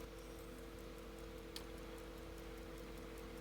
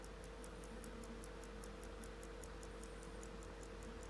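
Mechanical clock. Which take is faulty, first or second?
second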